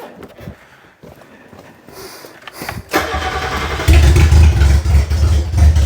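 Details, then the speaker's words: Mitsubishi Pajero Junior started indoors with the exhaust removed: cranks, catches and settles into a loud, raw, throaty run with a hard low bark, plus an unexplained squeal. "we did say we'd tell people or we' show people what it sounds like with no exhaust indoors"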